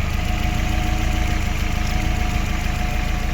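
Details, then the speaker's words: Chevrolet Aveo 1.5 8-valve after head gasket repair, fully warmed, new oil and antifreeze, lifters bled: low, even idle, smooth steady beat, no misfire or puffing; normal idle. "Тут у нас уже все моркоче, нічого не пихкає, не траїть."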